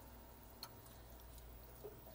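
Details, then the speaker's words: Neptune Systems Apex EB832 energy bar, whose outlets were dead though its indicator lights worked, after replacing its 12V 500mA AC-DC power module: one crisp faint relay click is heard as an outlet switches. Relays are working normally; repair successful. "hopefully you heard that click turn turn it back on hear the click the relays are working again we have a successful repair"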